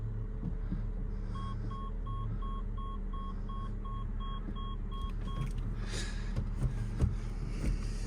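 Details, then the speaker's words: Ford Focus Cat N salvage rebuild, engine idling, shifting through gears: about eight evenly spaced reversing-sensor beeps, roughly two a second, over quiet idle; parking sensors working normally. "I'm just putting into all the gears just to check reversing sensors are working I can hear them bleeping away at me so that's good"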